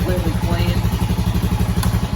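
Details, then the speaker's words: 2000 Honda Foreman 450 ES ATV, previously not starting, after full carburetor rebuild; idle set low before warm-up, turned up; steady even firing at fast idle, no misses or knocks; runs spectacular. "but it really started up and ran just spectacular [Music] look at that good running four-wheeler"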